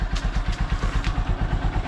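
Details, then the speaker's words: Honda Supremo single-cylinder motorcycle idling after a choke start, choke returned: soft, regular low thump with no ticking or knocking, very quiet; normal idle, no engine or carburetor work needed. "Ito pala yung andar ng aking Honda Supremo napakatahimik"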